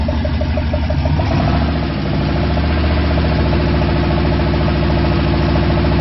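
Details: V8 at first start after a rebuild with new gen 4 rods and pistons, oil pump, cam, lifters and all new gaskets: deep, steady idle with an even low rumble and no knocks or ticks on top; sounds healthy.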